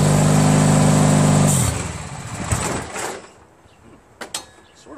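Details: Craftsman DYT4000 repowered with a 14 hp Briggs twin, low battery: steady drone about 1.5 s, then bogs and dies as the electric PTO blade clutch engages. Owner suspects crankshaft length mismatch with the PTO made for the original Kohler 25 hp.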